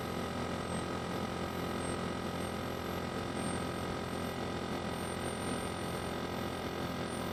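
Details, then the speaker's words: Vacuum furnace turbo pump at about 670 Hz (max 1200 or 1500 Hz), still accelerating slowly because pressure is high above millitorr: a steady, even whine over the pump hum with no rubbing or grinding; normal spin-up. "So turbo is still accelerating because the pressure is high. It's having trouble accelerating."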